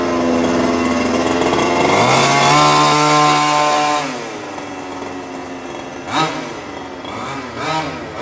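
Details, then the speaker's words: New HPI Baja 5T small two-stroke on its first slow drive after ~30 s warm-up idle: buzzy engine revs up cleanly, holds, eases back to a slightly high idle; crisp response, no misfire. Running properly; idle left high until first tank or two. "And as it looks right now, everything is functioning properly. Our idle seems to be a little bit high, and we're going to let it stay that way until we're done with our first tank or two, and then start to tune it in a little bit."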